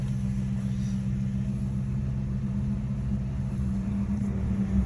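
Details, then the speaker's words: 2007 Crown Vic V8 on test drive after temporary clamp fix at cracked exhaust manifold/missing bolt area underneath; even low rumble, big start-up rattle gone, sounds quiet and healthy. "okay seat belt the big rattle to start up is gone"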